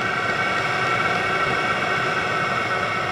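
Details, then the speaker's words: VEVOR 27,200 BTU diesel air heater (CY-7) as it is switched off after first startup and throttles back: steady combustion roar with fan hiss and a faint high tone, easing down. Normal shutdown. "I'm going to hit off I should throttle"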